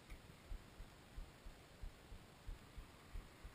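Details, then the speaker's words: Rage'n 24C trailer generator, cold and unstarted for over a month: switch pushed down so it clicks, priming fuel before start; faint soft ticks about one and a half per second over a quiet hiss, normal fuel priming. "just pushing down here, and you'll hear it click, and then we will push it up, and that will turn it on."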